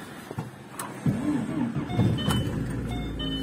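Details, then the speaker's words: VAZ 2110 8-valve injector, had no idle and wouldn't start without gas pedal; after replacing idle air control valve, cranks, catches in about a second, revs rise and settles to steady idle unaided; normal start and idle. "завелась подняла обороты ну прелесть до всего лишь дело было в датчике точнее в регуляторе"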